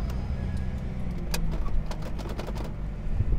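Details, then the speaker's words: Cheap auction car with a manual gearbox and 187,000 miles: low, steady idle rumble with no knocks or ticks, only a few light clicks around it. Healthy idle. "I think this is gonna be a good car like I said manual one hundred eighty seven thousand miles engine just sounds good"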